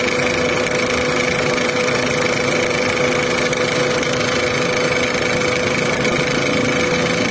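Engine ticks over at a steady idle with a faint light tapping and thin whine on top; something's off, cause not pinned down.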